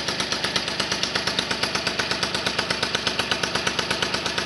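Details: 1978 Motobécane 51 VS moped, engine seized after thirty years idle, fully rebuilt with new rings, bearings, oil seals, clutch, points and condenser, started on first pedal; crisp even two-stroke popping at steady idle, no misses or rattles, normal idle.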